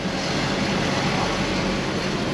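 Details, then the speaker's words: Engine just restarted after repair, now running where it wouldn't before (crank relearn pending, ABS light on): dense, slightly uneven roar without clean rhythm, running rough until injectors purge air; smoothed out shortly after. "make sure I plugged everything in with that it'll run a little weird till the injectors Purge all the air"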